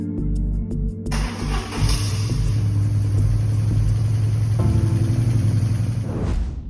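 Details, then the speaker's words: BMW R1100GS at first start after fuel tank cleaning and electrical work; a few cranking chugs, catches right away, settles into even steady low thump with no misfire or hunting; throttle bodies synchronized, closely balanced though worn. "Alrighty, I can't be any happier. The motorcycle started right off. It was fairly well balanced when I got the throttles adjusted."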